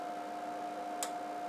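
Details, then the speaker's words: Amiga 3000 with Picasso II 24-bit RTG video card: one sharp click over a steady hum as the card's two relays switch on a screen-mode change to RTG. Normal operation. "hear that click that's actually the relays in here there's two relays on this sucker and this is the rtg mode in 16.7 million colors on the amiga 3000"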